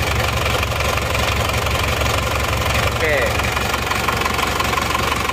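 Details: Isuzu Panther Touring Turbo diesel (pre-Euro), overhauled a year ago but blowing by again; cold idle rough, heavy uneven knock about twice a second under loose chuffing, one cylinder weak; heavy blow-by and thick smoke. Possibly scored cylinder liner.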